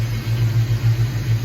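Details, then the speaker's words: 1986 Mustang SSP after new spark plugs and wires: low even burble idling smoothly at about 900 rpm with no misses, much better than before; owner thinks it runs really rich and suspects the fuel regulator. "it's still I think it's running really rich we still need to get a fuel uh what do you call it I feel regular I think fuel regulator um but everything seems to be running like way better it was not running this good"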